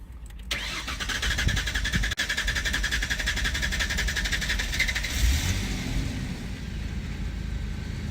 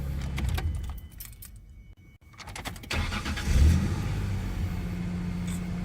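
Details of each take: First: 2001-2003 Ford Ranger hot start with P0171/P0174 codes: long steady cranking about four and a half seconds before it catches; fuel pressure bleeding down, suspected leaking fuel pump check valve, regulator or injectors after filter, O2 sensor, MAF checked. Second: 2001-2003-era Ford Ranger with hard starts and P0171 code, after fuel pressure diagnosis now holding about 52-54: short crank, engine catches at once and settles into steady even idle; normal quick start.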